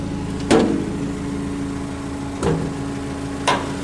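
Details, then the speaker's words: 2008 Mitsubishi Caterpillar 5000 lb dual-fuel forklift during pre-delivery inspection, running on gasoline: even steady idle hum with a few handling clunks; engine sounds good and strong, normal idle. "Seems to work just fine. There you go. I sat I sat on it. That turn that off. Engine sounds good. Sounds strong."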